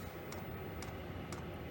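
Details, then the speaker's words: Diesel heater in a non-insulated two-man ice hut: a soft, steady fuel pump tick about twice a second over a low heater hum, metering normally. "I am going to turn that up to level 6. So that will heat up. You can hear the fuel pump heating up quite a bit."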